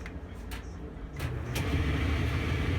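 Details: LG gas dryer model DLG2526, after repair: a steady low drum rumble builds to an even, smooth run with no scraping or thumping; normal dryer running.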